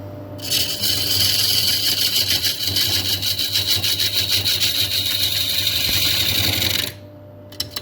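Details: Turning a 290 mm Camphor Laurel bowl on a faceplate with a freshly sharpened 1/2-inch spindle gouge: a steady hissing cut with even chatter about 200 per minute for six seconds. The sharp gouge cuts cleanly.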